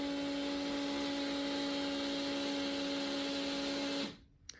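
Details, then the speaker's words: Kawasaki GPZ 750 Turbo fuel pump: a steady high whine with a second tone above it, then abrupt cutoff; louder than expected, owner suspects contaminants from the lined tank and a long-clogged filter, unconfirmed; noisy fuel pump whine. "yeah I'm not sure if that's what 80s fuel pump technology is supposed to sound like the tank does have a liner so I'm a little concerned that there is contaminants getting inside the fuel pump"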